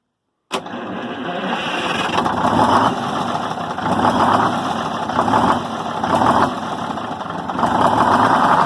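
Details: 74-year-old Greyhound bus diesel, after fuel system priming and filter work: catches right away and settles into steady, slightly lumpy diesel clatter at idle with no stumbling; normal start and idle once primed.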